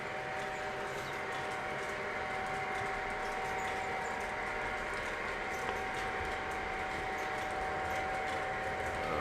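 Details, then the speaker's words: Model train layout: thin, steady high squeal over the low rolling rumble from dry passenger car wheels needing oil. "I apologize if you can hear the squeaking right now. Those are terrible."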